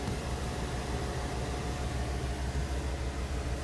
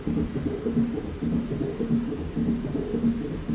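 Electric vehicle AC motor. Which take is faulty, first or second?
second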